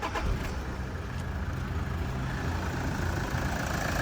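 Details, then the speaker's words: 2012 Toyota Vigo 3.0 diesel automatic: starts on the first try without throttle help, no smoke, then a steady, even diesel clatter at cold idle with no misses, knocks or hunting. Normal healthy idle. "สตาร์ททีเดียวติดไม่ต้องเหยียบคันเร่งช่วยอะไรเพราะว่ารถเนี่ยกำลังแข็งแรงด้วตัวเอง"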